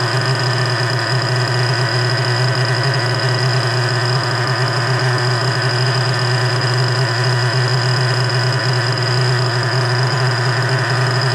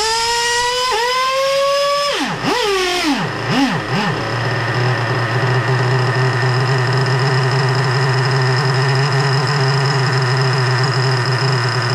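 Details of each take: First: Freshly rebuilt 3.3 engine with new bearings, after carburetor mixture adjustment: a steady, even idle drone with no hunting or surging. It is now idling smoothly. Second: Rebuilt 3.3 engine with both bearings replaced, carburettor high-speed needle at about 4.5 turns: the note sags and dips as the throttle closes and only holds an even hum with the throttle held open. Won't idle, stalls without throttle; owner suspects carburettor setting or position.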